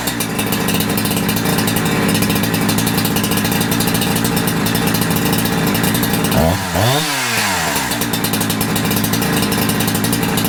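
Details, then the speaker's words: Holzfforma G372XP chainsaw with new carburetor, tuning with a tachometer: crisp, steady two-stroke buzz with one brief throttle blip, then an even, smooth idle. Low end and idle tune good; high-end tune still needs cutting under load. "well that is a very good primary tuneup anyway I have to go stick it into some Lumber to actually get a a high-end tune on it but lowend and idle and and primary right off that seems to work really good I'm happy with that"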